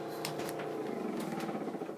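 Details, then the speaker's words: Samsung refrigerator making a constant low droning hum with a faint warble and occasional ticks; it stops when the fridge or freezer door opens and is loudest at the back near the light; source not pinned down. "it stops. When I close it, it begins again. When I open the freezer compartment, it stops, but in the back, where that light is, it seems to be where it's emanating from. It's much louder there."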